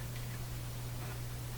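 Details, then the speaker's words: Canadian General Electric Model A55Z tube radio powered up with original tubes back in after repair; steady low mains-pitch hum with faint hiss, unchanged throughout as the radio comes back to life; mains hum, cause not pinned down. "there's the hum sounds like a uh engine running voila the radio Returns"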